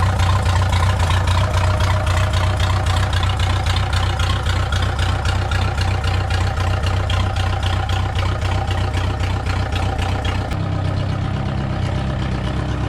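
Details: First start of a VW 1.9 mechSDI diesel in a home-built mini loader; the engine is not fully cold after sitting in the garage. Steady, even low diesel clatter at idle with no knocks or misses: a healthy diesel idle.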